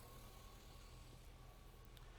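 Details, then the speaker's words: 2006 Chevy 2500 that runs rough and stalls, idling with headlights on: thin steady whine over the idle, alternator whining while charging only 11.7 volts at the battery; low charging output. "so we're not charging very high right now the alternators whining we're sitting at eleven point seven volts"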